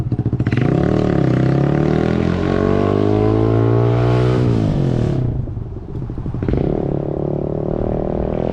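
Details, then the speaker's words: 2012 Honda CBR250R in neutral, straight-piped, after rusty tank cleaned and fuel pump replaced: loud raspy open exhaust rising and falling with light throttle blips, idle slightly uneven but steady; owner says idle still slightly weird but running fine, warming up. "the idol does sound a tiny bit weird still but I don't think perfectly fine computer before so that's good news I'm gonna let it run for a little bit let it warm up and take it for a ride"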